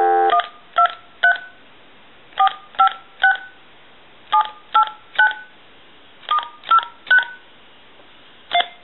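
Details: AT&T 5500 cordless phone base unit after repairing failed conductive board traces: clean paired DTMF dialing tones in groups of three, about two per second; keypad dials properly and the base works.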